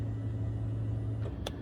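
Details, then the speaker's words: 2003 BMW Z4 convertible top, after replacing the hydraulic pump and motor and swapping reversed wires: pump hums steadily but top doesn't move, because the emergency release was pulled out and stuck, dumping oil pressure; no fault codes. "The pump's running, but it's not moving the top. I'm sure it's not the fact that it's out of... If the lock works, that should close it right now. You can hear the pump running, but it's not hydraulically moving."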